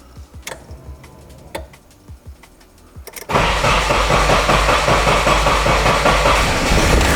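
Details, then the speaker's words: 1995 Nissan 240SX engine in a 1997 S14 shell, first start after reinstall; after a few starter clicks it fires and runs loud, lumpy and hunting. Giant vacuum leak because the brake booster vacuum line was not hooked up. "Sounded like I had a vacuum leak, which I thought I took care of all of them. And we have a giant vacuum leak because I didn't hook up the brake booster."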